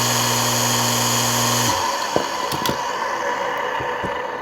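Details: Water pump after capacitor replacement and lubrication, previously only humming without pumping: steady even motor hum, no rattle or grinding, for a couple of seconds before switching off; running normally.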